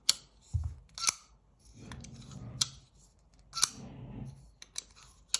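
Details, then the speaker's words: QSP Gavial folding knife flicked open and closed: sharp snaps with a dull, gritty rolling creak from the ball-bearing pivot as the heavy blade swings. "скрипит То есть ты фликуешь И слушаешь Как там эти шарики в подшипниках перекатывается"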